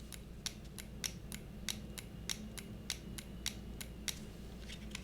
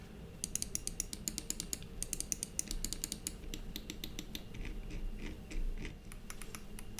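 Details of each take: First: Cooler Master MM710 53 g lightweight gaming mouse, squeezed by hand: sharp plastic clicks and creaks roughly every half second as the thin shell flexes on both sides enough to activate the buttons; severe shell flex. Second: Cooler Master MM710 53 g lightweight mouse button sound test: crisp, sharp clicks in quick bursts, side buttons slightly more hollow; every button snaps cleanly, nothing sticky or rattling, normal clicks.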